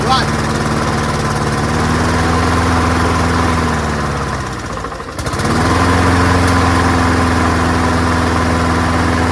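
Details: Free old rusty Honda self-propelled walk-behind mower, started first pull, throttle pulled all the way back to slow; steady single-cylinder putter dips briefly then recovers cleanly, runs on its own, carburetor judged not needing cleaning; normal running.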